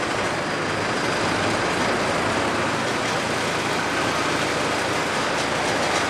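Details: Cummins 4BT four-cylinder diesel in a 1968 Ford Bronco, just after first start and fuel-line bleeding: loud, steady, even diesel idle clatter with no misses.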